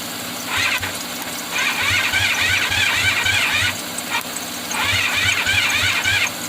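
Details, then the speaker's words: 1985 Honda VF500F Interceptor motorcycle with rust-clogged carb fuel bowl, gasoline sprayed into intake: even starter cranking near four beats a second with brief firing that dies each time; no fuel reaching engine, fuel starvation, no start. "know why ain't gonna run i'll tell you why it ain't got no gas in"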